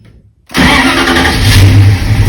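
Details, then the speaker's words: Big-block V8 with Sniper EFI, owner fighting low-voltage charging issues: revs with an uneven, stumbling note; rough running persists despite a new charge wire, owner suspects fouled plugs linked to low voltage, cause unconfirmed. "give it gas again. I mean, this is just ridiculous. I thought the charge wire would have fixed this, and it seemed like it did when I first put"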